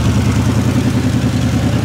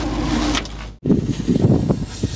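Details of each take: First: 1960 Chevrolet Impala V8, long-stored, running to warm up and recharge the battery after a fix, smoking slightly: steady even low rumble with regular firing pulses, no knocks or misses; normal idle. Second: 1960 Chevrolet Impala four-door, sat for decades, first run on its own after flooding and carburetor float seating: it catches and settles into a deep idle that swells and fades rhythmically; pulsing idle, cause unknown.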